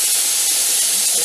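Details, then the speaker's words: Mirro pressure canner canning raw-pack corn in 500 ml jars, after just over 10 minutes of venting, before the 15 lb weight goes on: strong steady continuous steam hiss, no sputter or surge; normal venting. "so this is inventing we timed for 10 minutes we're just a little over"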